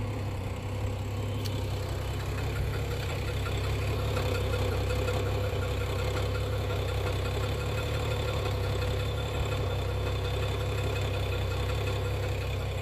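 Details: BMW E92 335i N55 at idle with an intermittent loud, sharp top-end tick of about three to four per second that comes and goes; the owner first feared rod bearings, but the cause is unconfirmed.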